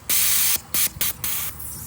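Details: Knockoff 42 lb fuel injector for an old Fox Body Mustang, bench-tested with a switch: several sharp hissing bursts, each about a quarter to half second, with clean cutoffs; the injector is spraying properly.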